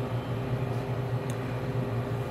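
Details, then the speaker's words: Tenney Lunaire TUJR temperature chamber, cascade refrigeration, cooling started toward -70 to -75: steady low even hum with constant mid tone as the compressor runs normally. "This is a cascade refrigeration system, so you'll hear one compressor kick on and then the other."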